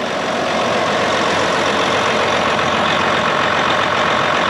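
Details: John Deere 9430 diesel tractor running after replacing the low-pressure fuel pump, which kept running after key-off and drained the batteries so it died and would not start; even, steady drone with no misses, knocks or surges, healthy.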